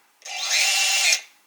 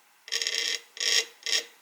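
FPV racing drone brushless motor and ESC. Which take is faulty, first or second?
second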